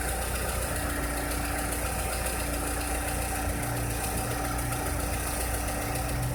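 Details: 2006-2007 VW SpaceFox engine with a strange noise: steady idle with a thin constant tone and a faint rapid ticking on it; abnormal engine noise at idle, cause unclear.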